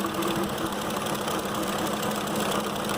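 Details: 2005 Ford Expedition 5.4L with an engine from a 2008, after new coils and injectors: rough, lumpy V8 idle with an uneven beat and a stumble each cycle; cylinders 7 and 8 show no signal, a dead-cylinder misfire.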